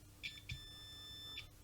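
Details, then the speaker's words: Multimeter in continuity mode checking an audio jack before an LM386 pedal build, probes on the jack's sleeve leg and base: a few short, clean high beeps around 2.5 kHz confirm the sleeve connection is good. "For example, if you put it to continuity mode and you hold one here to this base here, and then this leg here is connected to the sleeve, and so by touching this we should get a"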